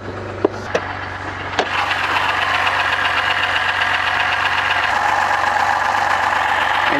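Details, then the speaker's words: BMW 528i with N52 inline-six, 120,000 km, tuned with a loud variable exhaust, bought without inspection: after a few clicks it settles into a rough idle with a dense, raspy grinding from inside the engine. Internal grinding noise at idle. "이상한 소리가나요 뭔가 갈리는듯한 소음이 나는데 일단 시동 먼저 끕시다"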